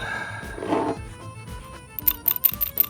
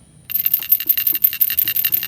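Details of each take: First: Old PCV valve removed from a 2013 Toyota Camry SE 2AR-FE engine, shaken by hand: quick, fairly even rattling clicks, about ten a second; it still rattles but sounds stiffer and more restricted than the new valve; PCV valve rattle. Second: 2013 Toyota Camry SE 2AR-FE, PCV valve shaken by hand: quick, bright, clicky rattles several times a second; new valve's internals move much more freely than the removed old one, whose movement was restricted.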